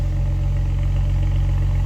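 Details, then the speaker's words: 2011 BMW 135i, 101,493 km, pre-purchase inspection, recorded at exhaust with no engine lights: smooth, even, quiet warm idle with no misses or ticks; no leaks found, runs normally. "it's running nice and quietly no real issues"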